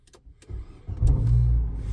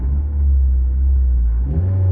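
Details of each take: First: 2010 Nissan Cube, high mileage, formerly in limp mode, check engine light reset the night before: brief crank then quick catch into a steady, even low idle; normal start. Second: 2010 Nissan Cube, about 230,000 miles on the dash, transmission seems fine, no stutter; deep, low, uneven rumble under the engine note, swelling and fading briefly; owner suspects an exhaust rumble, to be checked.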